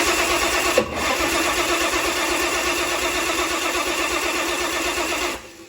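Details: Turbo Chrysler 170 slant six cranking evenly, fairly fast, about five seconds without firing, after battery disconnect; distributor timing suspected of extra advance versus the Atomic EFI.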